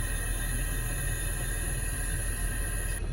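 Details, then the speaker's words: 2011 Jeep Grand Cherokee with AC running: steady gassy hiss from the dash over a low cabin rumble. AC system low on Freon from a leak somewhere, to be topped off to confirm; hissing from low refrigerant. "I know I'm low on Freon in the AC system. There's a leak somewhere, obviously."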